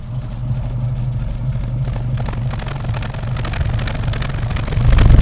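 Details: Austin A40 Farina at idle with a suspected ignition problem: low exhaust note with a constant uneven, rhythmic surge, lumpy rather than purring; it purred earlier, now farts and burps from the exhaust. Owner plans to check the distributor; cause unconfirmed.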